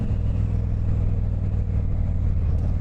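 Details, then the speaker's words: 1995 Honda VT1100 Shadow ACE cruiser, recently run after sitting for a few years, ridden on the road. Loud, deep, booming exhaust rumble, way too loud, about 72 dB measured stationary at one meter by phone. "Same capacity, but I think it's a two-cylinder. It is way way way too loud."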